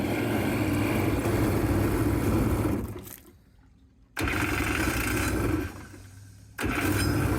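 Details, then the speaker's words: Yamaha jet ski engine in a jon boat jet conversion at first start on extended temporary jet ski throttle linkage, with throttle issues; it roars flat out at steady high revs, cuts away twice and snaps back to full blast, so the throttle is sticking wide open. "All right. A couple issues with the throttle, but she starts right up. It went full throttle."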